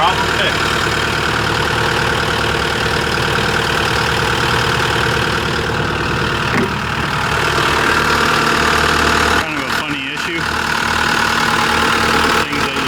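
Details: 2024 CAT 289D3 skid steer diesel after a crank-no-start fix: the water separator bowl had not seated after draining, so the bowl was replaced and the fuel primed. Steady, even idle with a smooth, unbroken beat and no misses or knocks; running clean.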